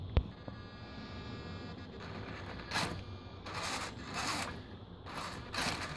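Short buzzing bursts with sharp clicks between them, starting and stopping unevenly; the servo is clicking as it moves, cause unclear.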